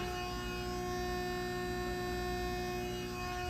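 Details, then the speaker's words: Sassc 500 A 6 V water-cooled, filtered rectifier, model 4VDV-5C006-422, 460 V 3-phase input, remote controlled, amps and volts turned up; steady constant-pitch hum with a faint high whine; normal, quiet running. "Very nice, quiet machine."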